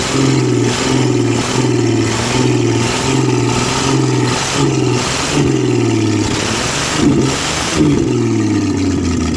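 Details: 1966 Ford Mustang V8, newly acquired and reassembled, first start: catches and revs unevenly, sagging and surging with stumbles, a pop and a fireball; owner questions fuel delivery to the filter; rough running with backfire.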